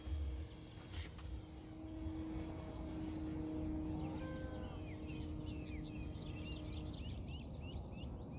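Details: Top RC Lightning V2 1.5m sailplane, electric motor, heard distantly in flight: steady propeller drone holding even pitch as it climbs at full throttle, birds in background; normal full-throttle run.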